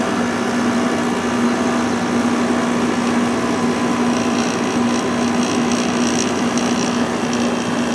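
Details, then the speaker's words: Probably late-1980s Emerson Quiet Kool 6,300 BTU window air conditioner, possibly Fedders-made, just started: steady even hum with faint constant tone, compressor and fan running normally, already cooling; rated 5.9 A, drawing about 4.7 A at 118 V. "it's already getting nice and cool foreign this air conditioner is rated at 5.9 amps"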